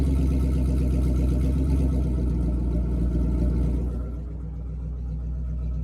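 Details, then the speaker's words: Ford 3V V8 with newly fitted Ford Performance intake manifold and throttle body after a rough first start; strong, even rumble pulling up cleanly on blips with no misfire or knock, sounding healthy. "I ain't gonna lie, she sound a little healthy. She sound a little healthy for real."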